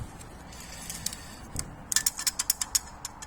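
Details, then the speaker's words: Worn original Exedy clutch disc from Mitsubishi Lancer 7 wagon 2.0, removed from car: disc rocked by hand gives sharp, tinny metallic clicks from loose damper springs, which made it vibrate; disc worn. "Et alors ça c'est con, mais c'est excessivement énervant parce que ça vibre."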